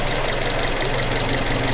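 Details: Toyota Corolla GLI (2012–2013 model) petrol engine that had been misfiring; after replacing the faulty part, it idles with a steady, even hum and no missing or stumbling beats.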